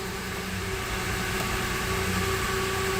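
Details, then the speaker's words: 2008 Mercedes-Benz E280 with rough idle complaint, idling after the fuel pump was primed repeatedly: uneven pulsing idle that stumbles now and then; misfire from air still trapped in the fuel system, which cleared shortly after. "vamos a está fallando mi falla ahí bueno vamos a ver tiene aire aire todavía al sistema"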